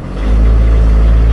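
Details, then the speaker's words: Van converted to Jetta diesel engine, sat since fall, started after priming the injector pump: deep steady cold idle, even beat, no misses or knocks; noisy but healthy when cold. "they sure are noisy when they're cold"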